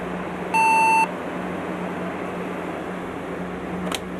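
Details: HP dc7600 SFF desktop at power-on after memory modules were reinstalled (2 GB sticks, possibly too high density): one half-second high beep over a quiet fan hum. POST error beep; owner suspects bad RAM or a slot problem.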